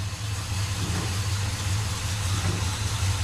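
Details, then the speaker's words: 1957 Chevy Bel Air V8, first run in about 30 years after fixing a loose fuel line: steady low idle rumble, firing even with no misses or knocks; runs smoothly, coolant leak still to trace. "on runs good"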